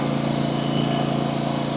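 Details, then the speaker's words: RedMax CZT54X zero-turn mower engine after repair, still smoking slightly as oil burns off: steady, even, fast idle with no misses, knocks or surging, running healthy. "All right, look at this beauty. Running like a champ."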